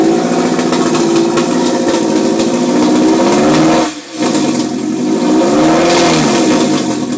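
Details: 2002 Type S with Injen cold air intake, hard to start after sitting a few hours: engine revs unevenly with a wavering, surging drone and brief dip; same noise with intake disconnected, cause unclear.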